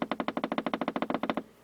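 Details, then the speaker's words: Jackson Bell Model 62 tube radio during repair with newly fitted tubes (type 45 tube dead), signal tracer in use: clean, even pulsing tone about nine beats a second through the radio's speaker, no hum or crackle; audio amplifier working, coils still need tuning. "that's the speaker so the amplifier is working so it sounds like all we got to do now is tune these coils in"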